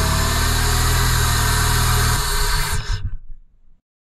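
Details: 2001-2005 Honda Civic D17A2 at 220k miles, after replacing the temperature sensor to cure a crank-no-start; it runs strong and even with a steady firing beat, no misfire or stumble, then shuts off, sounding healthy.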